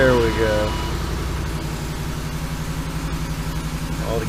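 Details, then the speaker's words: 2008 Ford Expedition, 5.4 3-valve Triton V8 swapped in after timing job, VCT solenoid, oil pump and valve cover gaskets, first start: steady smooth even rumble, no ticking or knocking; normal idle. "gauges look good everything's looking good sounds good we gotta running engine"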